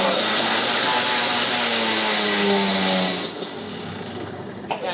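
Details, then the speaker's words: Go-kart two-stroke racing engine at Whilton Mill testing day, started after front clutch changed from 11 to 12 using a clutch key, following earlier engine problems; high buzzy rasp winding down, starting and running cleanly, sounding much better than before. "That sounds so much better. amazing when you haven't got a clutch. Doesn't sound any worse."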